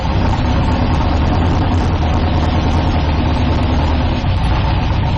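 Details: 1972 Nova drag build, in second gear during transmission test after fluid drain (earlier 2-3 shift locked rear wheels); deep steady idle, even beat, no clunks or flare; all gears working, normal idle in gear.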